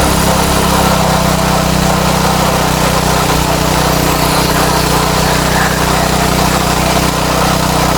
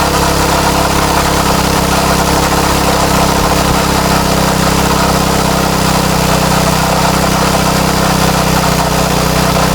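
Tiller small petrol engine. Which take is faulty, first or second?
first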